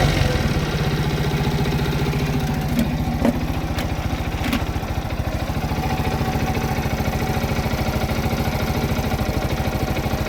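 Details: Viper Active motorcycle after fixing engine knock caused by failed dampers, running without muffler: open exhaust popping at a fast, even idle beat with no knock underneath; engine sounds smooth and healthy.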